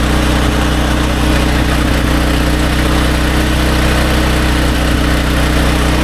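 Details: Restored SDMO 5000W generator with a Briggs & Stratton engine (about 18 hp), low on fuel and sitting on an angle, powering a 6 hp vacuum and 1500 W heater (about 15–20 A expected): a loud, steady, even drone holds speed without hunting or surging. Healthy.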